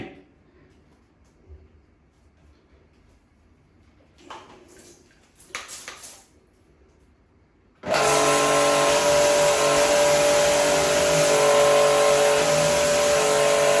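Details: Pumkin Chicaco high-pressure washer, originally with no pressure, tested after repair with a part greased and refitted: steady, even motor-pump drone and constant hum with no surging. Pressure is back strong, it works as before and is adjustable.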